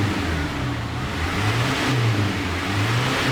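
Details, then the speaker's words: Ford Ranger conventional TDI diesel with Bosch injection pump, after wiring repair and a new fuel filter, throttle blips: clatter rising and falling with revs, no knocks or misses; visible smoke, considered normal for this engine; normal diesel revving. "Ngebul kok. Ngebul. Karena apa tuh? Iya biasa kah? Hah? Kan masih TDI. konvensional."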